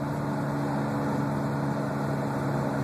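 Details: Steady low roar while driving above about 40 mph that stays the same as engine RPM drops, so wheel-related; owner believes front left wheel bearing is bad, not confirmed.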